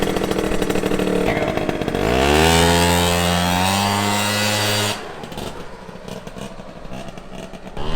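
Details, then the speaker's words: Scooter with a freshly fitted exhaust, revving up through a rising buzzy, raspy, spitting drone then cutting off; exhaust leak causing a major power loss. "We lost a major amount of power through that fat exhaust leak. Yeah. Huge power loss. But, sounds sick."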